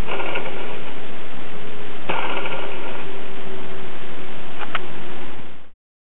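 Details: RCTimer A2208-14 1450KV brushless motor from a multirotor tail assembly, spun by hand: a rough, gritty grinding from worn bearings with noticeable play.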